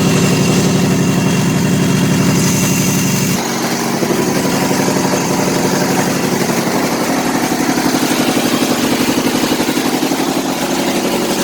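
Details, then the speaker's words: Kohler Command CH18-CH25 V-twin: lumpy, uneven idle with a loping beat near three a second that never settles; running extremely rich on one or both banks, owner suspects a dead coil; rough running. "running extremely rich on one bank, or maybe two. Burning my eyeballs in here."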